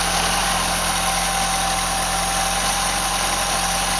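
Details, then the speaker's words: 1976 Fiat Spider, freshly rebuilt and installed engine on first start, running on hose water cooling with a hose leak and smoke off exhaust manifold: steady, even, smooth idle, no knocks or misses, background hiss; normal idle. "It does sound good. Is it good or bad? Sounds really good."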